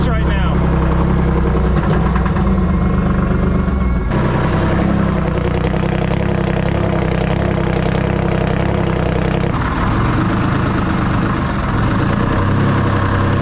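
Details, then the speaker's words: Detroit two-stroke diesel started on an Optima battery at full fuel, running very smoky: loud, deep idle with an uneven, stumbling beat, one side not running and not hitting all six. "Oh, actually it's running real smoky down there. There it goes. Wasn't running one side. There's the air compressor, too. Easy access to everything on the back. Yeah, it's not hitting all six"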